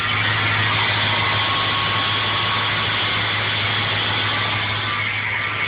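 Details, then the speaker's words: Ford Powerstroke 6.0 diesel idling, mic at tailpipe with solenoid plugged in: harsh raspy grinding roar from the exhaust, boost gauge at 0; noise disappears when the solenoid is unplugged, cause unknown. "sounds pretty nasty. Boost gauge still at 0. Sounds like she's putting out boost, but not much happening."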